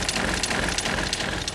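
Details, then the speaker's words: 2023 Airstream Globetrotter RV fresh water pump at medium faucet flow, before fitting a variable pump controller: buzzy mechanical rattle with uneven pulses as the pump surges on and off. "and you can just hear that kicking on and off off and [Music] on and you can hear the rattle that comes from this area where the water pump is which is right down here you hear that"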